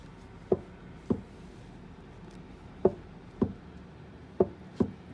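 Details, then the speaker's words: Tesla Model 3 cabin: sharp single clunks, six in about five seconds, as the floorboard is pushed down and pops up and down; loose floorboard, cause unknown. "the really bad one is right here you just push down on the floorboard and it's making like a candle isn't like popping up and down definitely doesn't sound good"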